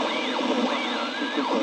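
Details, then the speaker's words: Two-valve super-regenerative VHF receiver (120-160 MHz) on larger speaker: warbling whistle sweeping up and down over steady hiss, a harmonic of the quench frequency that varies with the quench potentiometer. "that's an effect i wanted you to hear that is a harmonic of the quench frequency in the vhf band so when you hear something like that it varies with the quench potentiometer"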